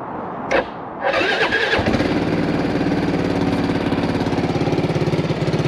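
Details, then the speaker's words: 20-year-old Suzuki Burgman AN400 scooter, brief starter whirr, then catches and settles to an even idle with a soft puffing chuff each firing; slight exhaust blow, replacement part ordered. "this one has got a slight blow on the exhaust as you can hear i've ordered the piece to actually fix that"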